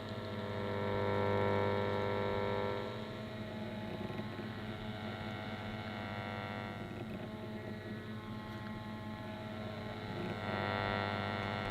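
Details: 1950s Ferranti A1016 valve radio (LW/MW/VHF) on first power-up on the bench at about 240 V: constant low hum under the tuning, rising and falling slightly with station noise, attributed to old capacitors.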